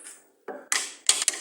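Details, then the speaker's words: Sharp, dry knocks as the wheel is rocked by hand, from worn bushings, sleeves and shaft inside the steering rack; front suspension knock traced to internal steering rack play, rack needs repair or replacement. "да внутри уже там сухари втулки сам шток Ну короче рейку надо смотреть да либо менять либо реставрация"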